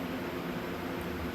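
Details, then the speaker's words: Trans Am with a TH400 transmission, after a poor shop rebuild and a bad torque converter, then rebuilt again: in gear, a steady airy rush with a low hum, like air through a water hose, from the pump/converter area. Different pickup tubes were tried and did not cure it. "But now, when you put it in gear, it would make this noise coming from the pump converter area like air through a water hose."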